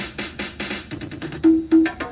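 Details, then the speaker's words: Williams pre-DCS pinball sound board, Addams Family ROMs in sound test after replacing a TL084: choppy synth tones and drum hits stuttering and cutting off, tune barely recognisable; fault not yet found. "Immediately, you can tell that that is obviously not correct. It almost didn't even sound like Adam's family, but you can kind of hear it."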